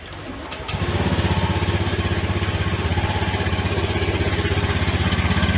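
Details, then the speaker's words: Fuel-injected motorcycle after replacing a burnt ECU and blown fuse: it catches after a short crank and settles into a steady, even single-cylinder putter at about four beats a second; a healthy idle. "alhamdulillah sudah nyala untuk motornya Insyaallah aman juga"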